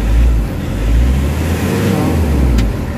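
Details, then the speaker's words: Nissan NV350 Urban Premium diesel van, treated with XADO for low power and throttle delay; low drone swelling smoothly and settling evenly, no hiss or roughness. Engine smoother, no longer hissing or running wild as before. "So iba na yung under kaysa kanina, medyo smooth na yung under niya. Tsaka kung papakiramdaman mo yung engine RPM, medyo smooth na yung under ng engine, hindi na gaano nagwa-wild."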